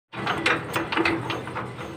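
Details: 20 hp single-cylinder diesel power tiller engine after valve clearance adjustment: even clatter at steady idle, the earlier drum-like thump gone; normal idle, running freely.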